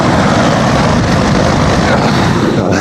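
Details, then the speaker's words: Older Goodman heat pump outdoor unit just starting up: loud, steady rushing roar louder than a truck, drowning out the compressor; excessively noisy condenser fan. "That thing's louder than my truck. But again, it's just a noisy fan. Compressor isn't, can't hear the compressor running over that fan noise, but just have to see this."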